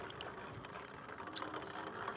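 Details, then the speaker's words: KBO Ranger cargo e-bike riding on pedal assist level 3: light, irregular ticking through road and wind noise, intermittent, mostly at the motor; owner cannot find the source. "I can't fix it I've looked I can't find where it's clicking from so how am I supposed to fix it if I don't know where it's coming from"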